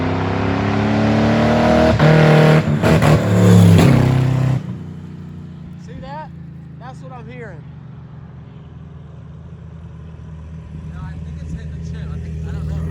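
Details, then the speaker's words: V8 in a Crown Stock race car revs hard then abruptly drops off at the same point, falling back to a low rumble; engine cutting out at high rpm, suspected rev limiter or chip issue, limp mode also questioned, not confirmed. "yeah something's definitely going on with it so yeah it's definitely hitting a rev limiter or busting a chip or something"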